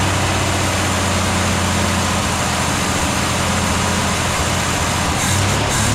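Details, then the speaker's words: 1964 Ford Falcon after head gasket work, idling once fuel took a minute to come up; the fuel pump was then found leaking. The idle is a steady, even low drone with no knocks or misses, so it runs smoothly. "Here we go. She sounds good. Took a minute to uh get that fuel up there."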